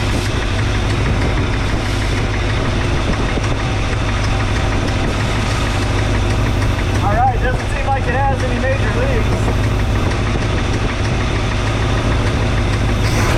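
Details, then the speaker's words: 1962 Chevrolet C10 carbureted engine, first driveway run after idle raised, warming with thermostat not yet open; low, lumpy, stumbling idle; rough running, owner suspects one or two bad unchanged spark plugs, not confirmed. "I still haven't changed the spark plugs, so don't be too alarmed about it running rough. Those spark plugs are probably, maybe one or two of them are really bad."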